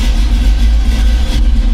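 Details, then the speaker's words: 1985 Chevy C10, cammed, new Holley 4160 600 CFM carb, cold start after much throttle pumping: deep, lumpy idle with cam thump, settled and no longer racing; normal cold idle. "See, I like that. That sounds good. It's not screaming."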